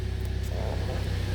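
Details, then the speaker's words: 2014 Jeep Compass after a no-crank no-start (codes P0600 and P0688) was fixed by installing a used, programmed PCM and clearing the codes: steady, even idle rumble with no knocks or misses, and the check engine light is off. "Okay, check engine light is gone, car runs."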